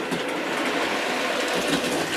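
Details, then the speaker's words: Model locomotive (A.H. Peppercorn) running smoothly after fixing a faulty drive wheel set loose on its axle; even light whirr and rattle, clunking totally gone, running forwards then backwards absolutely fine. "and you can hear now the clunking is totally gone and you want to stop it there and run it backwards please and obviously you can hear it's running absolutely fine"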